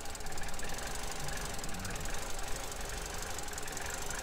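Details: 2015 Vauxhall/Opel Corsa E 1.4 LDD petrol, a healthy reference car for a P0300/P0171 lean rough-idle case. It idles steady and low with an even beat, no hiss or stumble, once the PCV cap is refitted and the trims fall back.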